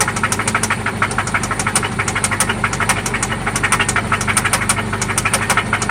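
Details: 1995 Toyota Celica ST idling after an oil change and spark plug replacement: a loud, sharp, metallic ticking knock, steady at about three per second over the idle; it seems to come from one spot, and its origin is unknown.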